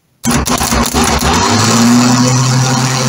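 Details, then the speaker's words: 1975 Triumph Trident T160 starter motor bench-tested before service: sharp engagement clunk as the Bendix thrusts forward, then smooth whir settling steady without rasping; starter working normally. "appendix is thrusting forwards and then the actual motor is turning so we know we have a working starter motor which is great"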